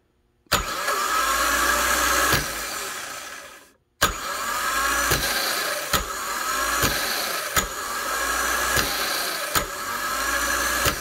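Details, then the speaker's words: Honda Fit starter (31200-RB1-013) bench-tested with the solenoid jumped: a dry, high-pitched screech as it engages, tied to the cold-start screech after the engine catches. Possibly a worn bendix bushing letting the shaft wallow and vibrate; the fix is a new bushing. Starter bendix bushing wear. "So it almost just sounds a little bit dry to me. So I don't know if it's just a matter of grease or if we really need a new bendix. Could be a war bushing maybe, making that shaft kind of wallow and vibrate in the end."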